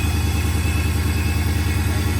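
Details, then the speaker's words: Dodge Hellcat supercharged V8 idling after the repaired supercharger was reinstalled: even, lumpy idle pulsing at a steady rate with no knocks, ticks or whine; engine healthy, no issues. "Sounds real good. Ain't got no complaints over here, boy. He looked out for your boy. He got it sounding lovely."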